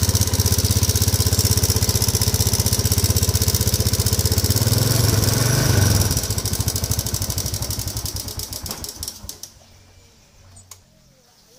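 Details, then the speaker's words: Modenas GT128 motorcycle at idle: steady fast ticking rattle about four per second, fading at shutdown, from a slack cam timing chain less than a month after a new chain was fitted. "tengok kondisi izin tuh tidak punya bunyi memang gede tuh rantai yang kendur ya tapi kenapa boleh rantai keteng kendor sedangkan rantai sudah terbaru"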